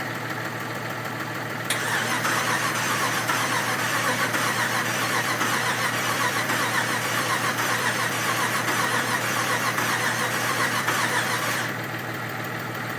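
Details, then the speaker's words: 1967 Ford F100 with 5.7 Hemi fitted with Eagle heads and pistons: starter turns steadily about 2.5 beats a second for ten seconds, engine never fires; no spark, coil drivers suspected. "I couldn't get it to run last time and did a whole bunch of troubleshooting and all I could come up with was we had no spark at all"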